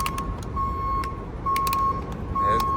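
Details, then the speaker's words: Garbage truck PTO system: steady ~1 kHz beep in long pulses over truck noise, a fault alarm because the tailgate/blade proximity sensor isn't detecting closure; placing a metal can at the sensor stops it. "Uh, I got a prep can in here. You guys going to that alarm is going to is going to stop beeping."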